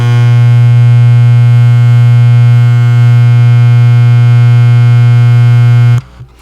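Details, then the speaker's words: NuTone IM4006 intercom master station with a bought "refurbished" power supply/amplifier replacement board, recorded right up against it: loud, steady low buzz for six seconds then cuts off; the board puts an ever-present hum into the intercom. "that sounds like an ever-present background hum, don't you think?"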